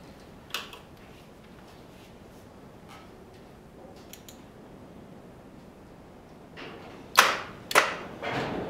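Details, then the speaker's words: 1975 Moto Guzzi T3, parked about five years in a barn: couple of sharp single starter clunks with no cranking; engine seized. "that sort of sounds like a seized engine oh crap well yeah looks like the engine is seized"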